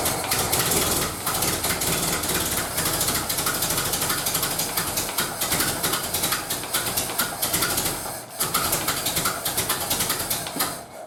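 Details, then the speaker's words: 1931 British Dodge Brothers UF-10 panel van engine at first restoration start-up, unadjusted: rough uneven idle with sharp puffing tick on each firing pulse; owner says exhaust manifold is definitely leaking. "Definitely exhaust inlet, or the exhaust manifold is definitely leaking, so I need to have a look at that."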